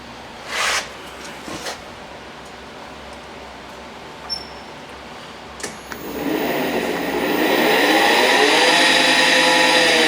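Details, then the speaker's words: 48V Yamaha golf cart on jacks, after repair of a no-move fault (yanked voltage-indicator wires reconnected, butt connectors shrink-wrapped): motor spins up to a loud, steady high whine from the rear end; Yamaha rear ends reputedly noisy. "I was told these Yamaha rear ends were really noisy, so it sounds like they are."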